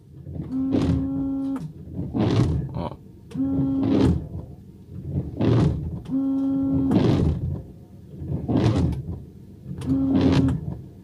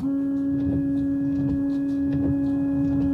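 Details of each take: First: Car windshield wipers running on the glass: loud judder on every sweep about every 1.5 s, mainly from one blade; worn wiper blade chatter. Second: Car wipers after replacing the blades with Bosch Aerofit blades, on a rainy day: quiet regular swishes over the wet windshield, no longer chattering or making noise.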